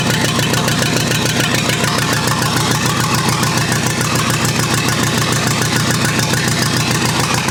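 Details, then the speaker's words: Rebuilt U23 engine idling on its very first start in 25 years, non-original carburetor still short of fuel at idle and needing adjustment: even, regular firing about three and a half beats a second, no knocks or misses; running smoothly. "folks believe it or not but this was truly an initial start and it fired up almost immediate"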